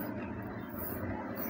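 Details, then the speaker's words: Exotic Stinger 3.5 e-bike hub motor under throttle on the stand: steady low drone with a rough buzzing edge and vibration, no dashboard error icons; cause is a loose motor cable connection, which also makes the motor hot. "Tapi ini dinamonya kalau dinaikin teman-teman suaranya dengung kayak gini nih"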